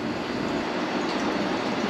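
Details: Fiat 124 Spider wiper motor rebuilt using gear from donor unit: even continuous mechanical whir, no catching, grinding or knocking; running smoothly.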